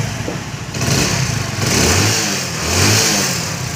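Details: Hero Splendor single-cylinder motorcycle started after carburetor cleaning and tank cleaning; starts cleanly, picks up smoothly on a couple of throttle blips, then settles back; normal running.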